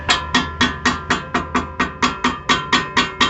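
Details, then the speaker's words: 2006 VW Polo brake caliper: sharp, ringing metallic knocks about four a second over road imperfections, as a loose brake pad slaps in its worn caliper bracket slot; the floating caliper guide bolt typically loses its thread. "está escutando esse ruído e a gente já tem noção qual que é o diagnóstico desse problema aí. Geralmente o parafuso que flutua aqui atrás para segurar a pinça perde a rosca."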